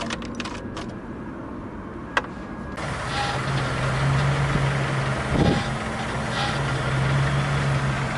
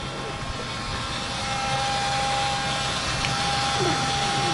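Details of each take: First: Gazelle van with a Chrysler engine, after replacing the fuel filters over lost power and a loud pump whine: a few clicks, then a steady, even idle with no constant pump buzz. Pump operation is now normal. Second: GAZelle van with Chrysler engine, lost pulling power: steady high buzzing whine from the fuel pump over the running engine; pump was suspected.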